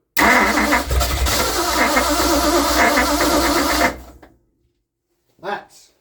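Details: 1960 Ford Starliner with 360 FE Tri-Power engine gives loud, uneven churning for about four seconds that never settles into a run. The owner is unsure of spark and plans to check firing order and points. Cranking, no start.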